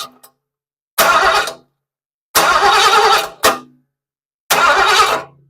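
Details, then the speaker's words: 1976 Mercury Monarch 347 with freshly rebuilt AOD transmission that has no gears and no cooler flow; starter held to watch the flex plate. Four steady starter whirring bursts, no grinding; flex plate fine, but the torque converter isn't turning, so it was assembled wrong. "I think what I'm going to do now is hold my finger on the starter button let this Spin and watch this flex plate see if it's wobbling around or anything here we"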